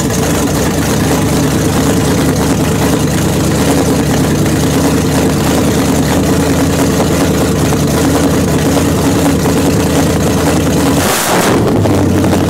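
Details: 1929 Chrysler with a 360 V8 and 707 transmission, first run after correcting an electric choke set too far closed and setting idle: deep, steady burble holding an even idle over ten seconds, no stumble or misfire. Normal idle.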